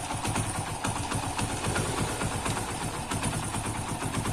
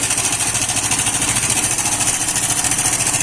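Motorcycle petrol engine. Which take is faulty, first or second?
second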